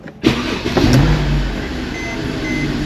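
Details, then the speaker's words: Mercedes E350 3.5L engine after new spark plugs and ignition coils and intake plenum reinstalled: quick crank, clean catch on first hit, brief flare, then a smooth steady idle with no misfire stumble; normal start. "We did our job right, man. This thing's gonna fire right up and idle smooth. First hit, baby."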